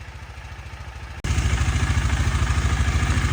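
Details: 2018 KTM Duke 250 left dead for one year, after fully charging the flat battery to 100% with a smart charger. Even single-cylinder putter at idle, then a blip lifts it into a firmer steady beat, no knocks or misses: normal idle and revving.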